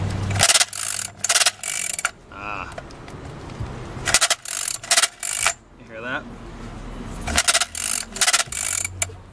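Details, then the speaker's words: SYX MOTO Holeshot 50cc recoil pull start with spark plug fitted: dry ratcheting clatter on each pull, engine not turning; pawl springs inside starter came loose, can't overcome compression. "that's a problem yeah so this can't turn it can't grab the pawns and turn the engine over with the spark PL in there because there's too much compression right"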